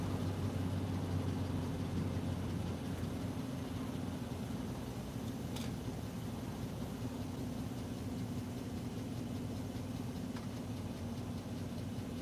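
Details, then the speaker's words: 2017 GMC U-Haul van, after repairing a crank/no-start fault caused by the starter signal wire: steady, low, even idle with no stumbles or ticks, left running while wires are cut; the engine runs normally. "We'll let it run while I'm cutting these wires because if we don't, we could have a major problem. We'll let it idle while I snip some wires."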